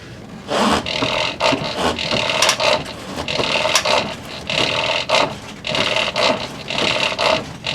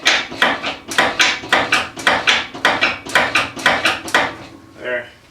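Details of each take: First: 1987 Lincoln Town Car after idler arm replacement, previously loose steering and front clunk on turning; steering swept back and forth gives only light rubbery squeaks in bursts, no knock or clunk, hardly any play: normal steering linkage, no clunk. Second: 1987 Lincoln Town Car with air suspension and loose steering: sharp, hollow, loud clunks about twice a second from the front as the steering wheel is turned back and forth, audible from far away; worn idler arm.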